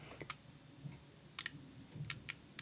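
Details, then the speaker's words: SK million-tooth ratcheting screwdriver, low backdrag, held close to the mic: quick bursts of very fine, crisp ticks as the handle swings back, like creaking bones or raindrops; tight even clicks, a healthy fine-tooth ratchet. "I mean it's like bones creaking hear that I'll put it close to the mic I mean whatever raindrops or something kind of unusual"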